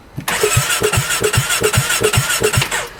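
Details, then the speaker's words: 2017 Polaris RZR 570 with 5,032 miles, in park: cranks evenly at about two and a half pulses per second with popping from the exhaust but won't start; dealer suspects low compression. "You can hear it turning over. [Music] You can hear it popping out the exhaust. So, she cranks but won't"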